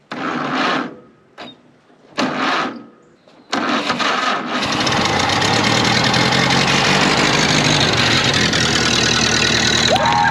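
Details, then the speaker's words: 1931 Ford Model A four-cylinder, sat 30+ years, started with choke and some throttle: a few cranking bursts, then steady, even run with no knocks; parts of the exhaust likely missing; runs well. "That thing ran awesome."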